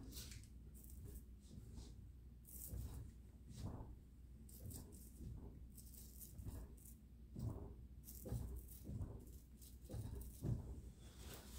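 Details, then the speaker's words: 1994 Chevy Silverado front end levered with a big bar to check for play: dull, irregular clunks about once a second. Owner suspects the steering shaft rag joint; not confirmed. "I'm that Clank is my steering shaft making that noise I know these things got telling they like to call a rag joint that likes to [Music] go"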